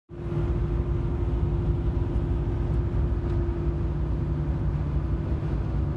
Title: Silverado Whine Noise